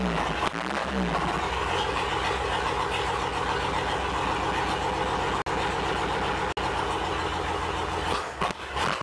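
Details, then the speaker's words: 1958 Chevy Apache barn-find truck, sat about 20 years, engine just started on a new carburetor; steady, even idle with a smooth low beat, no misses or knocks; running pretty good. "running pretty dang good"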